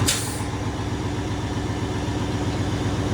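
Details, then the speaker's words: Diesel truck just after an in-frame rebuild, not yet up to temperature, with a bad injector found earlier: steady, even low rumble at idle with no misses or knocks. It no longer smokes; oil pressure and alternator are good. "This baby sounds good. No more smoking now, but still sounds good."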